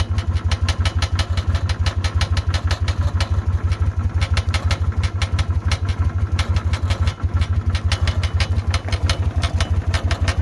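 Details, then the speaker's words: Steady idle with a sharp clack repeating about three times a second from that side of the exhaust; clacking noise, cause not identified. "et ici le claquement de ce côtélà du pot d'échappement"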